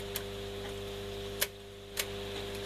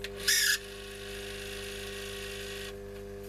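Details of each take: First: Telefunken Magnetophon 95 tape recorder after reshaping the old belt by boiling and applying rubber renew: even quiet hum with a few light clicks as tape winds; earlier noise gone and speed corrected; normal tape winding. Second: Telefunken Magnetophon 95 West German tape recorder on the bench, testing the speed control; shrill chirpy high squeal over a steady motor hum, cutting out and returning, likened to a budgie on heat. Squeal from the drive, cause unclear.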